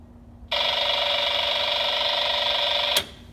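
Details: MGL Discovery Lite EFIS radiating RF into a homebuilt aircraft's MGL V6 VHF radio, breaking squelch: steady buzzing hiss with whiny edge, cut instantly with a click when panel power is killed; later improved by added grounding and shielding.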